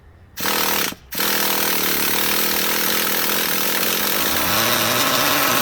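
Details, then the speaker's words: Heavily abused Traxxas Jato nitro engine, primed by covering the exhaust and carburetor to pull in fuel, throttle opened slightly: a couple of short cranking bursts, then it catches into a steady high-pitched buzzing run. Nitro engine starts after priming. "it looks like when I had my thumb over the carburetor to prevent air from getting in this is going to pull more fuel in it decided to fire up"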